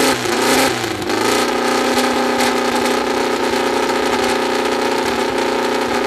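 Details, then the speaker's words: First start of a newly built VW 2054 carbureted engine: catches quickly, dips briefly, then settles into a steady, even buzzing fast idle with loud exhaust and no knocks or rattles; sounds healthy. "bom eu acho que é o maior sensação que a gente está sentindo tanto eu quanto a bianca a carta já foi embora já já ficou doida é uma tontura por causa do barulho da vuvuzela é muito brutal"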